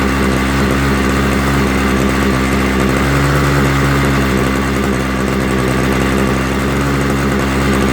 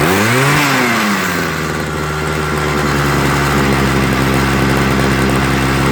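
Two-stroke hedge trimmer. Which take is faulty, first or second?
first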